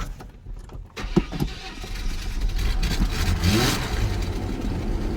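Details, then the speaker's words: Chevy S10 4.3L V6 after reassembly: short cranking with some gas pedal, then the engine fires and settles into a steady run; slightly reluctant start because plugs were flooded from earlier cranking. "There we go. Yeah, that's because I was cranking it earlier and the spark plugs got flooded."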